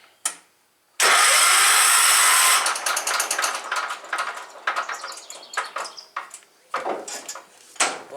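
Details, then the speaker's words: Cub Cadet 1250 garden tractor engine, non-running, said to be blown, oil clean and full: starter spins it very fast and light with no compression chuffing; owner suspects lost compression and a broken connecting rod, not confirmed. "that is spinning very fast almost like there's no compression either"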